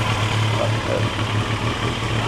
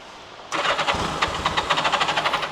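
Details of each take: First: Turbo Yamaha motorcycle running for the first time in about 40 years, warming up: deep, steady thrum at idle with an even beat and no knocking or rattles; normal idle. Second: Turbo Yamaha unrun for about 40 years, during revival: two bursts of steady starter cranking with even compression pulses, about six a second, never catching; fuel pump line pumping but no fuel reaching output, valves suspected; cranks but won't start.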